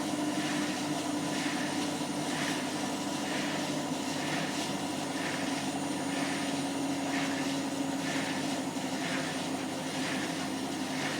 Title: My Hotpoint Washing Machine is Making a bit of a Squeaking and Scraping Noise when Spinning on 30c